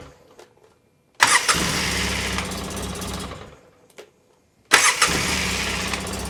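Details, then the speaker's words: 2003 Polaris Sportsman 600 quad after cleaning and greasing reinstalled parts: fires promptly twice and settles into even idle, no starter grinding; normal start and idle, though a cracked Y-pipe exhaust leak is found afterward. "down. Sounds good. Got that figured out."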